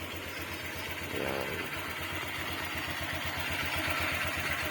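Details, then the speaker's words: Honda Click 125i FI V3 scooter at very low idle: a light dry clatter at about four beats a second from the CVT, where the belt flicks because the idle is so low; normal for this scooter. "So Gan talaga mga bro medyo meron talaga siyang ah makalas sa loob n makina dito lalo dito sa may cbt Ayan so Ayan Gan siya mga bro so sobrang Menor kasi sobrang baba pumipitik yung belt"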